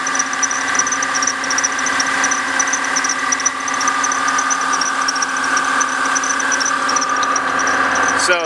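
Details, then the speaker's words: 2003 Ford Taurus 3.0L, engine running after thermostat replacement and coolant top-off: a worn idler pulley gives a high, fast chirping squeak, about three chirps a second, over the engine. "our next job is going to be this squeaking pulley right here, this idler pulley. Hear it squeaking?"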